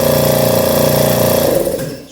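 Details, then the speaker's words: Schulz direct-drive air compressor after tightening the loose internal bolt that caused a metallic noise: even rapid pulsing hum, no metallic knocking; only normal compression sound. "o barulho da compressão mesmo então a gente tá no caminho certo então aí o barulhinho só mesmo né do processo de compressão do ar"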